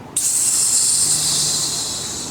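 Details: 1990 Honda CRX DX at engine shutdown: loud steady hiss that slowly fades, heard around the brake booster near the master cylinder; vacuum leak suspected there as the cause of fast idle and bad mileage, being smoke-tested.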